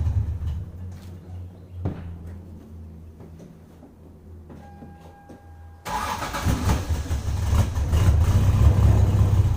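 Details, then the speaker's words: 1996 Lexus SC300 2JZ, factory manual W58, drift build, cold start at about 60°F: long stretch of even starter cranking with several pauses, then the engine finally catches and revs rough; takes incredibly long to start. "So as you guys saw there, it took incredibly long to start."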